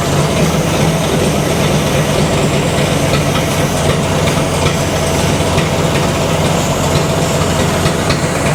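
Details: 1964 Ford F250, 223 engine, idling after revival: steady low rumble with a slightly lumpy, uneven beat suggesting uneven compression across cylinders. Compression is messed up, but it runs and doesn't sound horrible.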